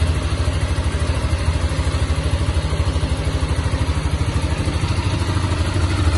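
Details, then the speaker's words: Yamaha XT 660 after engine teardown for strange pin-like knocking, traced to gearbox part and replaced: even, steady single-cylinder idle beat with no knock, tick or rattle; repair complete. "acabamos e concretizar o serviço do motor e vai fazer o funcionamento é aqui a ver como ficou"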